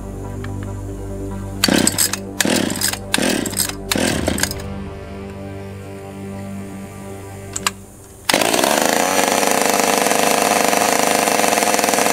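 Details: Stihl 020 AV chainsaw after fitting a new clutch, a new chain and a bar with a nose bearing, freshly fueled: several pull-cord rasps, then it catches and holds a steady, high, even buzz; starts readily and runs fine.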